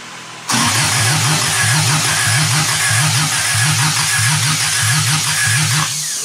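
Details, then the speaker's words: 1972 Toyota Celica with swapped JDM 18RG twin-cam engine, choke pulled, first cranking with spark: starter churns in steady paired compression pulses, engine never catches; cranks, no start. "I didn't sound any different than it has every time we tried it without spark."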